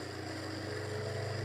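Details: Homemade generator test with rebalanced rotor drum cylinders and new centre bearing, coils not connected, belt-driven run-up towards 7000 rpm: steady hum swelling evenly, no knock, shudder or beat; rotor well balanced.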